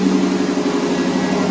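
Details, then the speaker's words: 1982–92 Firebird/Camaro after replacing the failed fuel pump and fuel tank, tuned up a couple years ago: smooth, even idle hum with a steady mid-low tone and no misses or stumbles; sounds really good. "I did all that, tuned it all up a couple years ago. Sounds really good."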